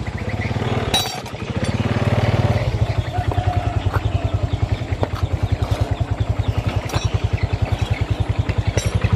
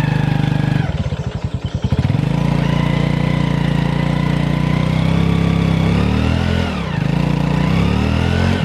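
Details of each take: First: Honda Revo FI motorcycle after clutch lining work, previously too weak to climb a plank: even, steady thump pulling cleanly up the step without slipping or straining and without high throttle; clutch now taking up properly. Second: Honda Revo FI with no power, unable to climb a plank ramp in first gear. Under hard throttle the engine drones high with a rising "ngu" noise but the bike doesn't pull. The mechanic first suspects the right-side (clutch) area: centrifugal clutch slip.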